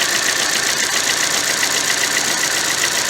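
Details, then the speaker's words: 2013 Chevrolet Cruze 1.4 L turbo with P0300, check engine light and rough running; lumpy idle with regular stumble about four times a second, solid dead-cylinder misfire, injector pintle hump unchanged so fuel not suspected. "just look at jumping it's a solid dead misfire but all during that event I do not see any changes whatsoever in this pencil hump"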